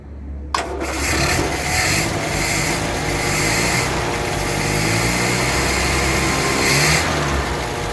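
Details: 1962 Land Rover Series 2A 2 1/4 petrol after 10+ years sitting, after resetting the leads: short crank, catches straight away and runs steadily with no misfire; starts and runs properly.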